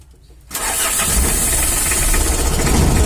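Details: Mitsubishi L300 or Isuzu Panther diesel, shaking and lacking power: catches and settles into a heavy, uneven clatter of about four knocks a second with a rough shake, caused by wrong injection timing. Diesel knock.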